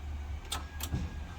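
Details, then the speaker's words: Honda Civic EG race car on the key: a dull hum with three quick sharp clicks and no cranking. The starter is suspected to have died; earlier it had eventually come alive. "So now we're hitting on the starter, and the starter doesn't want to work. I can hear it clicking. So the starter might have died."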